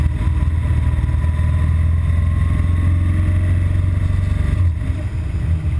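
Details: BMW R1200GS Adventure boxer twin with intermittent stalling, usually on hitting traffic after about 20 miles of fast A-road riding: low, slightly uneven idle that sags and stumbles; rough idle, cause not found.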